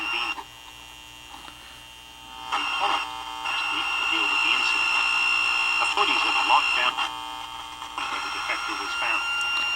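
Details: AM-FM cassette mini boombox being made functional before adding Bluetooth, playing FM radio: a steady high buzzing hum sits constantly under the radio sound, a fault hum from the set's audio circuit.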